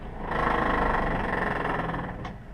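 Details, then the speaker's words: Takagi Jr tankless water heater running before a white-vinegar descaling flush: a loud, rough, fluttering roar with a rapid buzzy pulse that swells and eases. Owner hopes scale removal fixes the noise; cause unconfirmed. "don't want that noise anymore, and I'm hoping that this will fix it."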